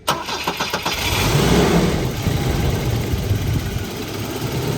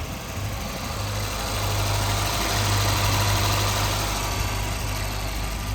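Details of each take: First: 1984 Volvo 242 with B23 LH2.1 engine and automatic, previously would not run, after cleaning grounds and adjusting throttle cable: a few quick cranking turns then catches at once and idles; still stumbling slightly, possible vacuum leak or old fuel suspected. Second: 1984 Volvo 242, B23 LH2.1 engine, automatic, with last year's fuel in the tank: a low, lumpy idle that surges and stumbles unevenly; it is running rough and a vacuum problem is suspected, not confirmed.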